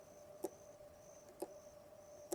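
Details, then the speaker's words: Old chemical transfer pump long left sitting, wired up: three sharp clicks about a second apart over a faint hum, motor never spins up, clicking but not pumping; cause not yet known. "when I turn it on, but yeah, nothing, nada, not gonna work."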